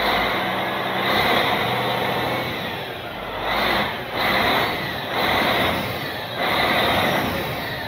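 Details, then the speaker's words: Caterpillar 3406C diesel in Cat 16H grader, abandoned about a decade, drained and refilled, started without starting fluid: steady even run with slow swells in loudness, no knocks or rattles; good oil pressure, runs good. "it's okay you got to run an engine it runs good so now that this thing runs yep it has good oil pressure yeah"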